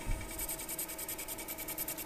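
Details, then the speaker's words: Mini mill surfacing epoxy on a magnetic clock face: quick even rattling pulses about eight a second over a low hum; cutter chattering because the surface is uneven and out of level. "you can hear it's chattering because it is uneven so this is going to be leveling it out for sure"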